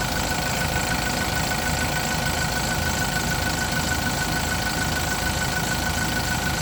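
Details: Yale diesel forklift after a crank-no-start repair (ran about 5 seconds then shut off; owner had checked fuel and pump), running after a boost start; steady diesel idle with rough but regular chug, no knocks or misses; healthy.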